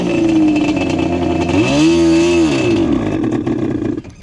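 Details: Yamaha Banshee two-stroke ATV with a customer-reported bog, air screw set to 1 turn (possibly fake carb), both pipes hot; crackles, rises briefly when throttled, then sags and drops off instead of pulling cleanly, bogging off idle, cause under investigation.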